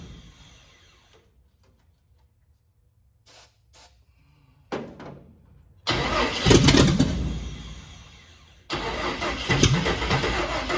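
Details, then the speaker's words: Carbureted cab-over van conversion engine, fuel line run to a half-gallon can, battery weakening. Long bursts of steady cranking, about four turns a second, without catching; the pump is delivering no fuel, and the owner suspects a clogged filter. "anything yet not pumping any fuel if there's a filter in there that thing could be clogged up"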